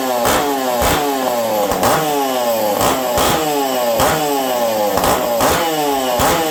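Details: Ironhorse ported Husqvarna 372XP chainsaw, cold weather, tuned slightly lean; repeated sharp blips about once a second, each rising and falling cleanly without bogging; runs strong, normal running.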